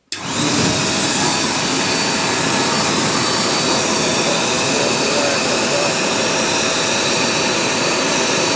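Loud, steady rushing hiss with even airflow and no surging, rattles or bearing noise; the blower is running normally.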